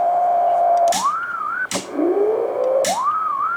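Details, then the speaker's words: Wavering whistle sliding up and down as an HF receiver is tuned on 160 meters, broken by sharp crackles; interference from a CCTV switching power supply even after its input filtering was improved. "Essa filtragem foi melhorada, mas mesmo assim ela ainda exibe essa interferência violenta."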